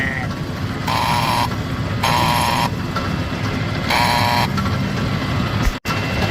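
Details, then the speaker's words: Brunswick A2 pinsetter, recently replaced cycle solenoid, machine not cycling on first ball: tripping ball detect gives repeated half-second rough buzzing hums as the plunger moves; solenoid sounds bad, coil to be metered. "Watch the cycle solenoid plunger. It moved and it made a little bit of noise."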